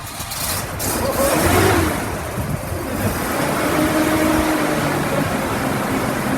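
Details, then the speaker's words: Toyota FJ45 starting for the first time in three or four years after fuel tank, lines and spark plugs were refitted; catches and settles into a steady note with a couple of revs, no knocks or misfires: runs normally. "as you just saw the car now runs it's been three or four years at least since i've heard this thing run"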